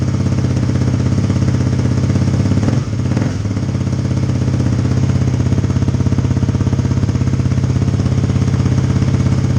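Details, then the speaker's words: 2018 Kawasaki KLX250 single with new FMF Q4 slip-on exhaust, silencer insert fitted, mid-pipe resealed after leaking; loud, deep, regular idle thumping about three pulses a second with a brief blip; healthy exhaust note, just a loud pipe. "alright by the way there is a silencer in it so this can go louder but it's pretty damn loud as it is"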